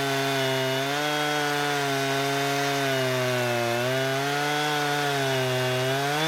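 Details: Husqvarna 455 Rancher chainsaw after an ignition coil replacement, cutting wood: a steady high two-stroke howl holds revs through the cut with only slight dips and no stumbling.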